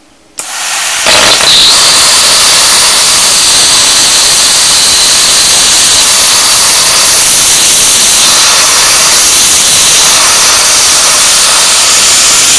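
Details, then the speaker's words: 40 A plasma cutter turned down to 15 A with air raised to 100 psi: steady loud hiss of arc and air that splutters with no clean cutting bite; extra air pressure appears to hinder the low-amp cut. "Hear that starting to splutter there, guys? What I'm going to do, because I'm running quite low power, is I'm going to put my earth right on here instead of on the cutting table."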